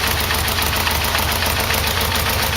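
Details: Yamaha VMX1200 V-Max at idle after an oil and filter change: fast, even light tapping over a steady idle; source unclear, owner earlier suspected the timing chain adjuster and also wondered about an exhaust leak.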